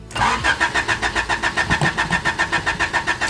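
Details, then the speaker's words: 3rd-gen Honda Prelude with a newly installed fuel pump kill switch, just switched back on after disabling: even cranking at about 3.7 beats/s with no firing while the empty fuel lines refill, then it starts. Extended crank, no start from empty fuel lines. "All right, now there's just no line. Now there's just no fuel in there."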